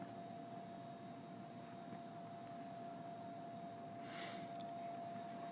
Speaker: And you can hear the gentle whine of the motors. This isn't hydraulic, this is all mechanical.